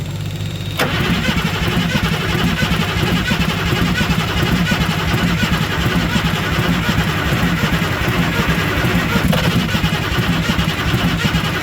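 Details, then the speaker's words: International 7.3L IDI diesel, ex-U-Haul truck that sat in a field for decades, cranked cold in freezing weather with no working glow plugs and a leaking return line. A steady, labored crank for ten seconds with no catch: cranks but won't start. "what's going to happen is we crank it enough the engine is going to start to warm up and the glow plug won't be a factor anymore"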